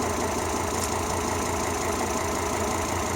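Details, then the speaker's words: Volvo XC90 T5 at idle with code P0300 (random cylinder misfire): an uneven idle with irregular stumbles. "I got a code P0300, and that's random cylinder misfire."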